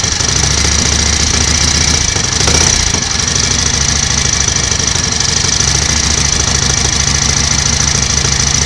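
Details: 1938 Matchless Model X 990 cc V-twin idling after several years laid up: steady, even thump with busy top-end chatter; mechanically sound, running evenly, some oil smoke from the exhaust.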